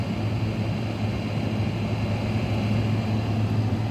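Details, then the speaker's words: Air conditioner holding R22, switched to fan only; steady low droning hum with a rough, gritty undertone, most of the noise coming from the fan motor, whose bearings are wearing out. "I'll put it on fan only now. See what I mean? Most of that sound is coming from the fan."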